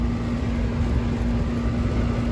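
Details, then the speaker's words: Payne central AC outdoor condenser after replacing a defective dual capacitor that looked fine: steady low compressor hum with even fan whoosh, no rattles or surging; running normally at about 19.3–19.4 amps. "let's turn on power and voila i love that hum with that compressor and of course the fan coming on"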